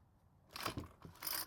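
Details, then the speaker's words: 4-cycle string trimmer (model 41EDT57C966), hard to start cold, after carb and fuel filter work, choked: quick rasping pull-cord strokes with no firing; won't start, deformed plastic at choke flap suspected. "so unfortunately it did not start but this is when realize something remember how weak the plastic was on the air filter base"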